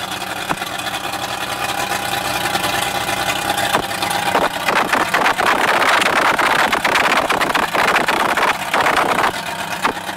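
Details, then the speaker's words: Mercury Bridgeport EFI outboard after fixing low-rpm overfuelling setup errors: steady even beat with wind on mic, no stumbling; runs much better, still somewhat smoky, possibly residual oil or oily fuel; normal running. "Just done a test run on the engine, and it runs a lot better, and it's still smoky, but nowhere near as bad as it was."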